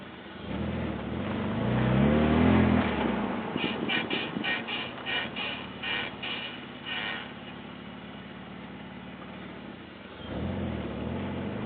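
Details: Car brakes: after the engine note dies, a rhythmic scrape pulses about four times a second in time with wheel rotation as the car rolls; brake scraping, cause unknown.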